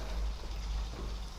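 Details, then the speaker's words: Eheim Classic 2215 canister filter at first start-up after priming: irregular low gurgling and sloshing thumps as air bubbles remain trapped in the sponge/media despite the filter being full of water. "스펀지 여러가지 물이 차 올라 온다고 해도 그야 내부에는 공기방울이 남아있을 수가 있구요 스펀지 말고 여 가지를 쓰신다고 해도 역 어제 특채 틈 3 기포가 남아있기 때문에 처음에 가동을 하게 되면 이런 소리가 나요"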